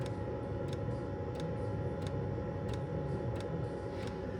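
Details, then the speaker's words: Planar diesel heater installed under a VW Transporter T6, running at full power, recorded underneath beside it; the diesel dosing pump ticks about ninety times a minute over the fan hum, normal operation. "and then on this side we've got a pump and the pump there is diesel pump and that's also got a slight tick into it"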